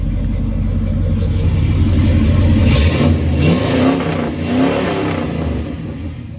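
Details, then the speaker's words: 1971 Chevrolet Monte Carlo, factory LS4 396/402 ci 6.6 L big-block V8 (300 hp, hydraulic lifters), dual exhaust: deep even idle then smooth throttle sweep rising and settling, no knocks or ticks; normal idle and rev. "Sounds really nice. Dual exhaust. I'll walk over to the engine compartment now. No weird noises, no nothing. It's perfect."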